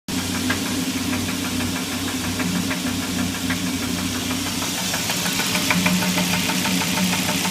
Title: SRT10 engine knock